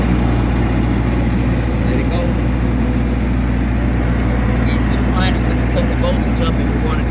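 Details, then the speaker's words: Military surplus 15 kW diesel generator, revived after troubleshooting, running; a steady, even diesel drone with a constant low beat and no knocks or misses. "All right, so it's purring like a kitten. Y'all hear it? The diesel engine sounds so good."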